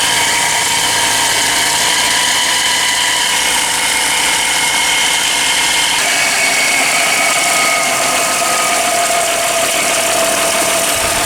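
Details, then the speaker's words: Engine at idle with the front bumper off, just after a coolant refill: loud steady idle with a thin high whirring tone on top; owner suspects a bad bearing or the belt tensioner. "Sounds like we have a bearing going bad, or a tensioner maybe."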